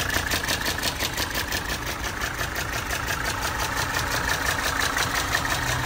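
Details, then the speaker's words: 1980 Mercedes 300SD turbo diesel, 141K miles, starts easily with no excessive smoke: even idle clatter with a steady rhythm and no misses or knocks; motor sounds very healthy. "engine bay is in very good shape and the motor sounds very healthy"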